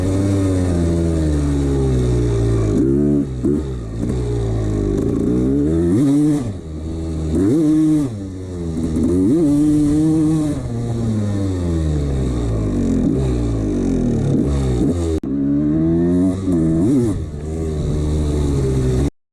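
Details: 1989 Honda CR250 two-stroke dirt bike blipped repeatedly; a hollow metallic rattle under the revs from piston slap.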